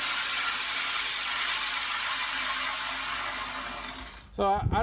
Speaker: when I applied that lopping compound it changed the sound of the the reel it kind of made a greedy grinding sound and it kind of got smoother and smoother as it went